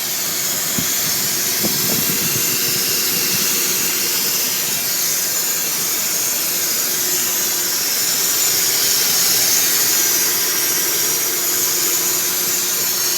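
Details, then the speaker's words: 1996 Ford F-150 with the 300 inline-six, recorded on a cell phone under the hood: a steady, high, airy whistle over the running engine toward the back of the block. The source is unidentified. "seems like it's coming from back here around this area just like that just like a whistling noise"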